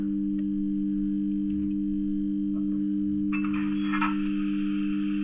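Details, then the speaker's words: Rapido GWR 44xx DCC-sound model loco running on analog DC control on a rolling-road test track: a steady, even buzz at one pitch under the loco sounds comes from the DC controller feeding the track. "So interestingly, if you can hear buzzing there, that's because I've got my DC controller connected to the test track, which I used to run in locos on rolling road."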